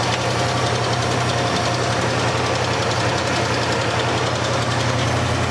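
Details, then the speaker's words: 1986 Dodge Ram D100 V8 barn find, sat under a barn over 15 years, first run, oil barely on dipstick: steady idle with faint, loosely regular light tick about three a second; source unclear, owner suspects the alternator. "I hear a little bit of a ticking but I think it's maybe coming from that alternator"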